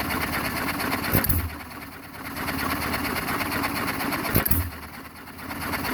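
Single sharp firing bangs come about three seconds apart, with the flywheel coasting quietly between them: a healthy hit-and-miss cycle.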